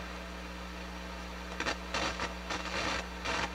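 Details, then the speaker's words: Akai GX-230D open-reel deck during restoration, microphone and line inputs tested: a steady hiss and low hum with crackly bursts as the pot turns. The pot is scratchy and the transistors noisy; a bad transistor is suspected in the left microphone amplifier. "a little bit of scratchiness but we still have all that hiss and noise from the transistors"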